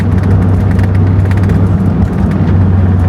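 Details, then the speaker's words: 1992 Mazda Miata NA after replacing failed downpipe exhaust gasket: deep smooth exhaust drone under acceleration with road rumble, no ticking or puffing; earlier noise gone. Normal exhaust after repair. "It's way quieter if it's still there. I like it. I think we did a good job today. Oh yeah, we are sounding way better. Much smoother."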